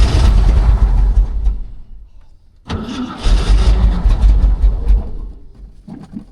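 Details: 1967 Shelby GT-500 locked in a container 40 years, first start attempt on its own tank fuel before coolant added: cranks and fires unevenly, fades almost out, catches and stumbles; hard starting.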